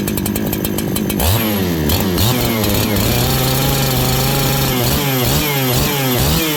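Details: Farmertec 288 kit chainsaw after oil pump repair and idle adjustment so the clutch doesn't engage: clean, quick revs rise and fall crisply and settle without stumbling; the saw runs healthy and responsive, with normal running.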